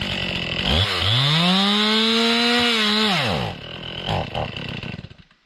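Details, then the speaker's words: Warmed-up Stihl MS 261 C chainsaw revs to a high steady scream, then sags and sputters irregularly to a stall. It is bogging and stalling again after the owner's earlier tank-vent cleaning failed to last; a tank vent fault is suspected, not confirmed. "it's not a good sign looks like it's starting to do the same thing before fire it back up again though"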